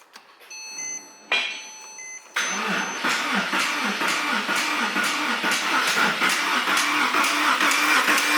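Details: Porsche 911 cranking after first fill-up with more fuel, low oil pressure warning shown: steady starter cranking about two pulls a second, never catches, slight backfire; no-start, cause not confirmed.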